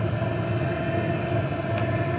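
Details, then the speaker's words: PH21A 2kW 12V diesel parking air heater in regulating mode after glow pin switches off, blower speed and fuel pump pulses varying to hold temperature; even steady blower whir with soft combustion rumble, no knocks or rattles; normal regulating operation. "in this mode the heater is going to regulate and the blower motor is going to speed up or slow down bringing in the different combustion air and the fuel pump pulses will speed up or slow down to maintain a fuel air ratio but it's going to maintain a nice even temperature"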